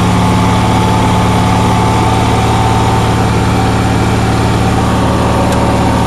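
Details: Onan generator on a cold day after a fuel pump voltage fix: a steady fast hum with a strong low drone and no dips, idling well above normal and putting out 160–170 volts; cause suspected, not confirmed, and it won't adjust down further.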